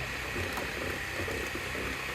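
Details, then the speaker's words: 1971 MGB GT, 18,000 miles, ignition on, fuel pipe disconnected at carbs: harsh hissing, buzzing whir from the electric fuel pump underneath; pump either knackered or running dry with no fuel. "And there's also a bloody awful noise coming from underneath. So either the fuel pump's knackered or there's no fuel in it."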